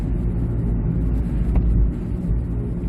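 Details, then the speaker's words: 2006 Ford Escape Hybrid, front-end hum recorded while driving and turning, just after an alignment: a steady low drone that swells slightly and changes when turning; it slows with speed. Owner suspects a bad wheel bearing, to be checked on the lift for play. "definitely a change changing noise so my suspect is i have a bad bearing"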